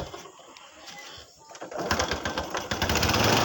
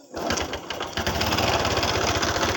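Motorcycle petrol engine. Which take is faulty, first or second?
second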